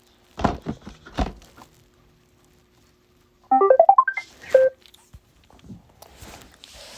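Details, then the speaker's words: iRobot Roomba 694 after new wheel modules are installed, with the battery put in and the speaker on that side: handling clicks, then a short rising run of clean electronic notes. The normal startup tune confirms the battery is seated correctly. "I'll let you guys hear that nice startup sound when you put the battery"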